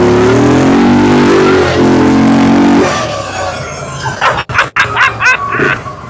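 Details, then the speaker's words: Fire-damaged CF Moto Z Force 800 revived: engine revs smoothly and evenly, then stumbles and cuts out as it runs low on fuel; otherwise running normally. "Aside from running out of fuel, it's working great. Yeah, sounds good."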